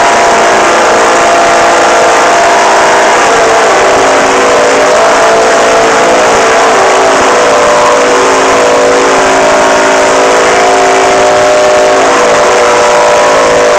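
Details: Old Detroit Diesel 4-71 in a GMC 650, first start after 30 years: fuel rail sticks and the diesel runs away, a relentless flat-out scream held at one high speed until the engine is choked out.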